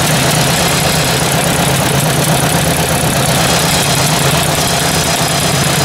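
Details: Ford 800 tractor engine idling: a light, fairly quick ticking over the engine note, louder toward the back of the engine than the front; source still unknown.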